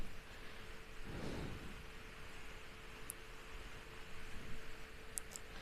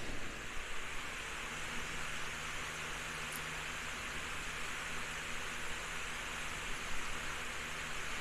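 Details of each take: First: Household fan on speed 1, about 62 dB and 55.4 W, before cleaning and re-oiling: steady hum over a dull rumbling roar as the blades wobble; owner unsure whether bearings or imbalance, later finds a cracked blade. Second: Household remote-controlled fan after cleaning blades, gluing a cracked blade with UV resin and re-oiling bearings, running on setting 3 (~70 W): soft steady airflow with faint motor hum, no rattle; still shakes but sounds quieter; normal running.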